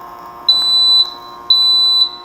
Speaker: If the sound is loud and clear, you're good to go.